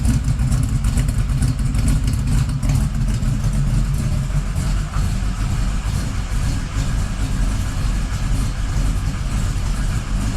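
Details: 1979 Camaro Z28 V8 just fired after the Pete Jackson gear drive was replaced by an Edelbrock Performer double-roller timing chain, new balancer and water pump; warming up. Loud but smooth low rumble, mild lope, no whirring from the front. Normal idle.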